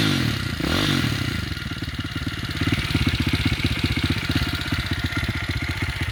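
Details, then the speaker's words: Demon X 170 Detroit single-cylinder dirt bike with new End carbon exhaust can, baffles still fitted: small even thumps at idle, picks up cleanly on a light rev, muted exhaust; engine runs healthy. "you can actually hear the engine more now it's quiet in the off and that is what I wanted"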